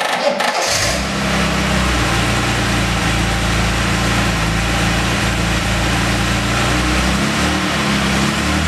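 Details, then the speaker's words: Series II Jaguar E-Type, first start after engine strip-down to repair a stuck valve, with cams retimed, tensioner adjusted and fluids checked: brief crank, catches quickly and settles into a steady, even idle with a smooth low drone; normal start and idle. "All the fluids, oil levels, coolant, are all checked. Everything's back together. Let's see what it sounds like."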